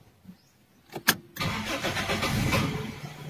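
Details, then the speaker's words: Toyota Big Body GLI cold start: short crank, catches, idles low and shaky around 400–500 rpm instead of about 1,000, misfiring then stalling; faulty coolant temperature sensor disabling cold-start enrichment, hard starting. "Oh, patay ulit. Ayan, baba ng minor, bumabagsak."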